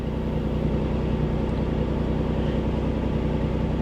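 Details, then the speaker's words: 1988 Chevy Cavalier Z24 started cold: fires right up into steady, even fast idle just over 1,000 rpm, no knocks or misses; oil pressure about 60 psi cold, charging, service engine soon light on; runs perfect. "wow it fired right up it it runs perfect no joke it's got a quarter of a tank of gas oil pressure is right around what is that around 60 60 PSI cold voltage is charging idle currently high idle sitting at just over 1,000 RPM"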